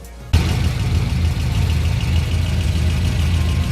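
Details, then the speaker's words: Engine with long tube headers, just after replacing the V-band clamp on the passenger-side collector: starts and settles into a steady, even low rumble. No ticking or puffing; the exhaust leak is gone and it idles normally. "All right, look at that. No more exhaust leak. No movement from the paper. Nice and quiet."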